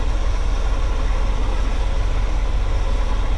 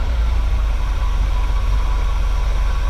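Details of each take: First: 1979 GMC Vandura G25 V8 with Edelbrock carburetor idling a little low at about 13–14 inches of vacuum, deep slow lazy pulse; low vacuum points to retarded ignition timing, and adjusting timing should help. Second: 1979 GMC Vandura G25 3/4-ton ex-camper van, carbureted, idling with vacuum gauge connected after routing the distributor vacuum line to ported manifold vacuum: deep, steady even rumble, vacuum up about 2 in from just below 15, idling a little smoother; normal idle.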